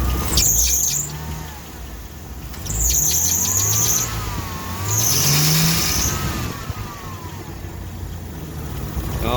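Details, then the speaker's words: Mini truck after water pump pulley replacement, idling with temperature at 142–143: chirping squeal rising and falling; owner unsure if belt or pulley, suspects power steering pulley, belt looks slightly off line. "it does have a i don't know if it's a belt or a pulley squeal"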